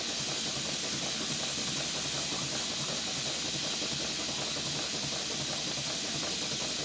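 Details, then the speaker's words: Stuart Twin Victoria model steam engine at 60 psi boiler pressure, run slowly with the safety valve not blowing: a soft steady hiss with an even chuff around 160 per minute, no knocks; normal running. "that's it for this episode I'm going to stop the narration and just let you listen to the sound and see the engine running"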